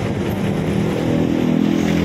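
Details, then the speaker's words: Engine after repair of a timing problem another mechanic missed: smooth, even hum with a steady low note, no knock or vibration; now very quiet compared with how it arrived. "Tapos ngayon tahimik na, yung hindi na ano yung masabi, yung hindi na niwala eh? Oh, napakatahimik makina mo, kumpara na"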